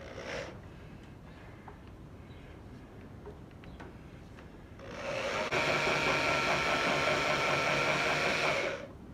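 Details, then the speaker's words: Engine on a farm, sitting 15 years, being pre-oiled with a remote pump through the oil pressure gauge feed: steady electric pump hum for about four seconds then stops; hose expanding shows good oil pressure building. "i can feel the hose expanding and contracting as i start and stop so i know i'm getting good pressure behind it"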